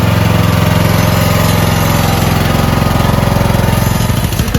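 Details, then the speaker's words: Toro Wheelhorse 1438HXL lawn tractor repowered with rebuilt 17.5 hp engine, choked start on new 160 CCA battery, stator charging about 15 V: steady even chug about three beats a second, no misses or knocks; lights brighten with throttle. Normal running. "When you throttle up, it gets the bulbs get brighter because it's off the stator."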